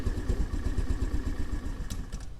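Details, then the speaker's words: 2022 Honda NAVI 110cc carbureted scooter on a cold startup with lights on: a lumpy, uneven low chug sags and dies repeatedly. The idle is set too low and the carburetor idle needs bumping up. "now if you're on it and you're you know riding away that's not going to be a problem at idle but i think the carburetor idle is going to need to be bumped up on this one it's idling too low"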